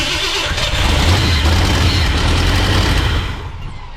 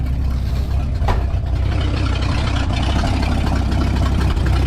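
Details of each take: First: 1968 Ford F100 after 4-barrel carburetor conversion and timing chain install: catches and runs lumpy and labouring with an uneven beat, then dies. Caused by a large vacuum leak, a thumb-size hole. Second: 1968 Ford F100 V8, before 4-barrel carburetor conversion and timing chain install, first start of the day in park or neutral: deep, steady idle with even low rumble, no misses, knocks or hunting.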